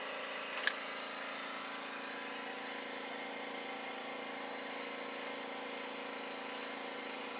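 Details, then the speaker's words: Kawasaki FH580V engine that is losing power, with compression of about 160 and 140 psi and a valve found seven thousandths loose. A leak-down test gives a steady hiss of air blowing by and heard out of the carburetor, so a valve problem is found. "but it's definitely Blowing by so maybe a little bit like I said yeah I can hear it coming out of the carburetor too so we definitely got a valve problem"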